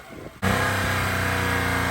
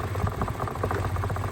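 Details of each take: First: Mitsubishi Mirage after water was burned out of the fuel rail and injectors following flooding: engine settles into a steady, even run with no stumbling or misses; running cleanly after rev-off. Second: Mitsubishi Mirage after being flooded in a river crossing, fuel pump cleared of dirt; uneven, lumpy idle with irregular pulses, slightly better; rough running from water still in the fuel.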